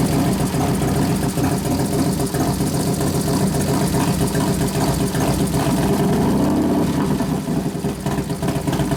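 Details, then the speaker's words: 1993 Harley FXR Evolution 89ci stroker, new build first start-up, air cleaner off: loud, lumpy V-twin idle with a steady loping beat and a few throttle blips, pulling cleanly and settling evenly, accelerator pump turned down; normal idle. "I turn the acceler pump down a couple turns so I cuts a lot of that out sounds good we got to readjust it once you put the air cleaner on"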